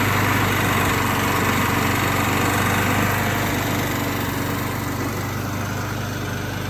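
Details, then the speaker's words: Refurbished free Craftsman walk-behind lawnmower, small single-cylinder engine, cosmetically worn but serviced: quick even beat of about four pulses a second with no stumbles; normal running. "Let's go ahead and start this thing up for you guys so you can hear how it runs. And I will say, it might look not really like the best, most clean lawnmower in the world, but it definitely sounds okay."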